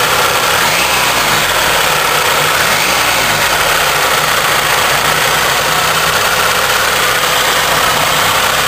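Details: GM Iron Duke four-cylinder running rough with deep, uneven bottom-end knocking, getting really bad; owner suspects a spun rod bearing or rod knock, unconfirmed.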